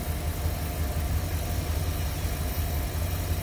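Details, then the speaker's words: 1957 Ford Thunderbird after a Pertronix electronic ignition, new coil, tuned rebuilt carburetor and new exhaust: low, even rumble with no misses, a smooth idle; a vacuum leak in the power brake booster remains. "see how much nicer the engine smooth the engine's running"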